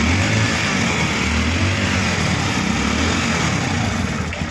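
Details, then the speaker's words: Hero Splendor Xtec E-20 (described as Splendor Plus 2013) that stalled while riding, after replacing the faulty throttle body: steady, even single-cylinder putter holding idle without dying or stumbling, running normally. "तो guys finally complete हो गई और start होने लगा।"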